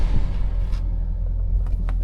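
Low, steady idle rumble with a few brief clicks from handling around the car; engine runs smooth and even, healthy.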